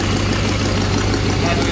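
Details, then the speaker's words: C4 Corvette Chevrolet V8, just fitted with new headers, at idle: loud, raw, rapid puffing with no muffling, like a demolition derby car, as exhaust leaks from the open EGR port still to be dealt with. "sounds like a demolition derby car right now it's hard to tell what it'll sound like"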